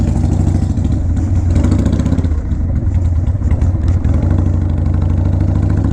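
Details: 2001 Harley-Davidson 1200cc, bought used after sitting in a garage, first start, gaskets still to redo: deep, loud, lumpy V-twin idle with even beat and no stray knocks or rattles; normal idle.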